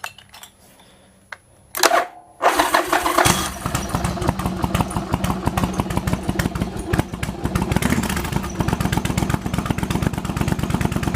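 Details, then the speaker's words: Yamaha Virago XV1100 with years of occasional coughing and spluttering on one cylinder, just after replacing regulator rectifier, in garage; cranks briefly, catches, settles to steady even V-twin lope with no coughing or spluttering; healthy start and idle. "wow this is running nicely as you now change the regulator rectifier"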